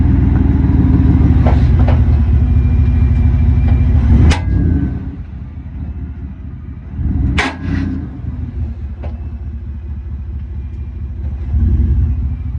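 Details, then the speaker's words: 2021 Ford F-150 5.0 Coyote after IHC Performance drop kit install: heavy rumble with sharp single clunks under hard braking as the rear axle shifts on U-bolts fitted without the top bracket, which wasn't supplied. "The reason it was doing that was because I had a problem with the U-bolts due to them not sending me a bracket that goes on top."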